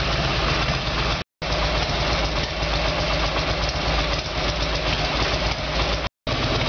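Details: Harley-Davidson Evolution Sportster, carburetor problem, rear cylinder previously not firing, with new NGK iridium plugs gapped about 1 mm: loud, uneven, lumpy running, earlier backfiring; rough running, cause not confirmed.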